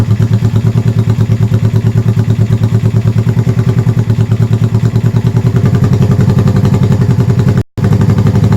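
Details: 1971 Honda CB350 twin, first start after full top-end rebuild with oil flow fixed, avgas/low-lead mix, likely needs rejetting: loud, even idle just over 1,000 rpm, both cylinders firing, no misses; normal idle.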